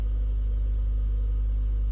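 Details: Safari 12 V DC amplifier on test with frequency generator into a speaker: steady even low hum with no crackle or breakup, clean undistorted tone; about 0.9 A at 12 V.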